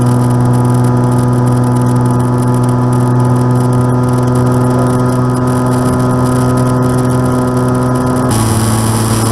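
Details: Aircraft N735D after spider replacement, engine at idle at altitude, on approach and over the runway: loud drone with a ringing, gong-like hum over an uneven beat about three per second; abnormal noise, cause unconfirmed.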